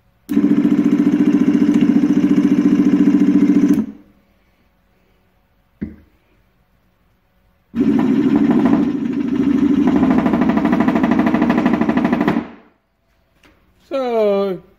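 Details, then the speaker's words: 24 V motor of a glass bottom Sea-Spi run on a 12 V battery after its seized shaft was freed with vice grips: two bursts of motor hum with a coarse, uneven buzz, like a jet ski. It turns but rough; direction is reversed. "works I guess I wouldn't say it's smooth or quiet like you would expect but it's well that's Louis points it sounds like a jet ski started"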